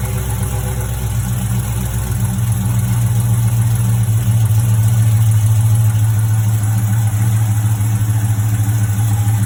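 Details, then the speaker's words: HEMI V8 on the first cold start of the day: light, fairly even tick over the idle rumble, seeming to come from the driver's side near the manifold/header bolts or a gasket; source not pinned down. "Sounds like it's coming from here, or at least it does on mine. It always sounds like it's on the driver's side at like the bolt, the manifold, the header bolts, or maybe like a gasket."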